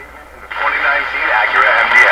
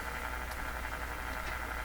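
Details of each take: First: Canadian Westinghouse Model 636 five-band radio, untouched before repairs, cracked resistor noted: broadcast audio in clear bursts with quiet hiss, tuned to 640 with dial accurate; normal reception. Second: Canadian Westinghouse Model 636 five-band tube radio, tested before repair: on the shortwave band only a faint, even hiss with no stations or noise signals; band dead, band arrangement suspected wrong, cause unconfirmed.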